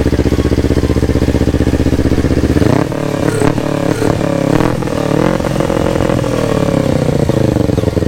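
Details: Yamaha R25 with a swapped-in R3 parallel-twin engine at its first start, on a borrowed Akrapovic exhaust, before ECU mapping: a quick, steady idle, then clean rising revs that drop back evenly with no knocks or misfires, running normally.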